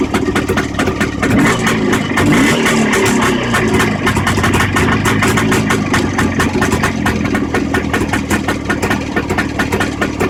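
Sharp, fairly regular tapping over a busy two-stroke idle that keeps pace with the engine; an internal knock of unknown cause.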